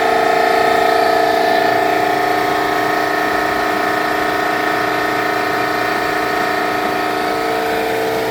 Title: Eastwood QST-30/60 Scroll Compressor possible bad bearing.